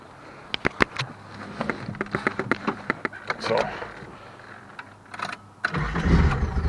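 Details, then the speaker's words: 1974 Datsun 260Z starting after minor repairs including a common starting issue: quick steady fuel pump relay clicks about four a second, then it cranks and catches cleanly; normal start, though idle is low and slightly rough. "yeah, starts fine. That clicking is actually the fuel pump relay."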